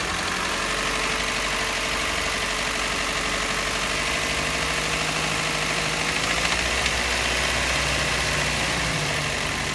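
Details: Toyota Yaris 1NZ-FE after a forged rebuild (9.0:1 pistons, forged rods, rebored block, new timing chain kit and VVT-i sprocket): light, high-pitched metallic internal rattle, faint at idle, loudest at 1800–2000 rpm.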